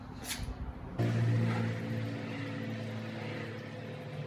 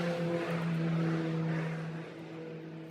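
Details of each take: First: 2006 Buick Rendezvous 3.5: new Delphi fuel pump installed, flow test repeated; steady low electric hum building slightly toward the end with no whine or stutter; flows, about 45 seconds like the old pump. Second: 2006 Buick Rendezvous 3.5 with intermittent no-start: old fuel pump run by jumping relay pins 30 to 87 to drain the tank into a can; steady low hum with faint whine as fuel flows.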